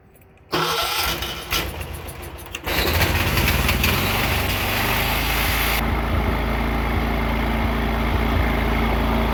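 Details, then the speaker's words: John Deere 216 lawn tractor engine, started on a small battery, cranks a couple of seconds, catches and settles into a steady idle with slight unevenness, still running out water and debris from its fuel with fresh gas. "All right. She's still got some a little bit of water and debris in the gas. It take a little while for her to run that out with the fresh gas."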